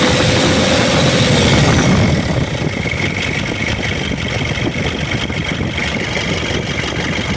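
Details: Diesel engine just bought for a car: loud harsh clatter at idle, settling after a revved start, with a quick rough patter throughout; engine judged unfit, to be returned to the seller, cause unclear.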